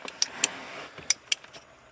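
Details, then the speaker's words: RB25-swapped Datsun 240Z, key out, 30 amp main fuse plugged in: sharp irregular clicks several times in two seconds, engine off; ignition relay chattering as voltage cycles 2 to 11+ volts from an electrical leak. "ignition relay going over and over and over"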